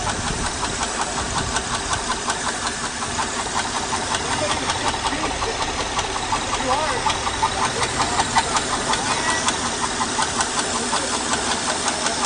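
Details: 2008 Honda Odyssey at 212,457 miles: a steady light top-end ticking at idle, about 160 per minute, from damaged camshafts and rocker arms; twice misdiagnosed as timing belt, which was changed 27,000 miles earlier.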